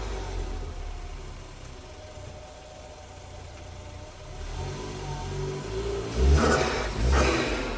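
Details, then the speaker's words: Ford Focus ST Mk3 estate: even idle, then a couple of clean revs with no knock or misfire; healthy running. "oh yeah yes people doesn't she sound good lots of chatter as they say"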